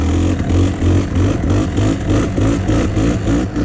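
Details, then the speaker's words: 1997 Kawasaki KDX220 two-stroke, sputtering with poor throttle response, air screw adjusted, pulling uphill in third/fourth gear: lumpy, surging note that never sharpens; suspected rich pilot circuit, next step leaner pilot jet. "Yeah, it just doesn't sound super responsive. The next thing to do is go down in pilot jet size to a leaner size pilot."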